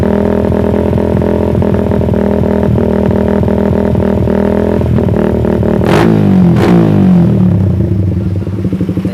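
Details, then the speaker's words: Suzuki Satria FU with the intake cam advanced about 1 mm, PE28 carb, air screw over four turns out: revs sound slightly choppy and stuttering rather than smooth. Uneven revving attributed to the advanced intake cam. "agak kaya putus-putus gitu ya Lur dikit gitu ya karena memang saya gesernya juga dikit cuma kurang lebihnya 1 miliar ya"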